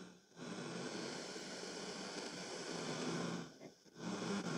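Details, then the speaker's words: c.1990s Teac MX-D10 mini hi-fi set to tuner: steady hiss dipping as the dial moves, no stations received; short antenna wire suspected damaged, radio itself thought fine. "so we have a bit of a hiss let's try the tuning oh yep we turn that down a bit so it sounds like the radio is going to"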